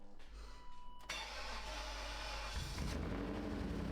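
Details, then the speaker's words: Old BMW 5 Series first start after revival, cold, heavy smoke: rough start then loud uneven idle with a dull hitting knock on top; doesn't sound like engine knock, something striking up top, cause unknown. "Did you hear that like knock? I heard like a knock noise. >> Yeah, it sounds like something's hitting. Doesn't sound like an engine knock. It sounds like something's hitting up there."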